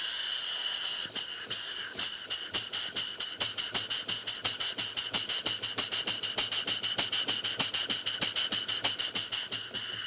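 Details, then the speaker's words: Model steam engine running on air during valve adjustment: sharp hissing exhaust chuffs about three per second, uneven in spacing and strength, exhausting more on one side; valve timing slightly off, adjusted by trial and error. "sounds like exhausting more on one side than the other so this is gonna be a little bit by trial and error here"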